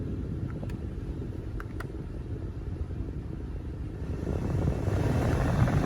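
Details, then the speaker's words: 2004 Chevy Suburban Z71 with engine running after blower motor resistor replacement: steady fan rush stepping clearly louder as blower speed is raised, no rattle or squeal; normal blower operation. "Now we hear the airflow. All right, you see it's plugged in. We hear airflow."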